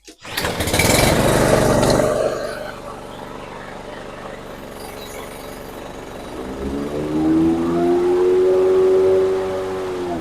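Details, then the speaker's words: Toro Super Recycler SR4 mower, before repair: engine runs alone, then load and pitch climb slowly as the blades spin up; slow blade clutch engagement, blade stops in high grass; owner suspects cable adjustment or clutch belt. "You can hear it going from just an engine run until the blades run, and you can see that the length of time it takes."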